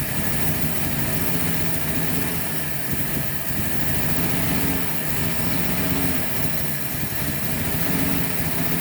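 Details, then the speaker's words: 1948 Chevy coupe, first run after 55 years off the road, fed fuel down the carburetor; the fuel pump is possibly not pumping. Quiet, even, sewing-machine-smooth idle with a soft steady patter and no knocks or misses. Normal idle. "no engine noise though yeah it sounds really good the engine is like a sewing machine it's so quiet so quiet"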